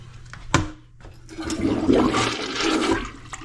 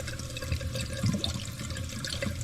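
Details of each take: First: Newly installed replacement toilet, first flush after raising the fill level so it stops below the overflow; strong rushing gurgle rises, peaks and tapers off as the bowl clears; normal flush. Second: Old toilet before replacement, jets clogged with mineral deposits and fill valve no longer cutting off water; constant quiet trickle and hiss that never stops; running toilet, fill valve not shutting off.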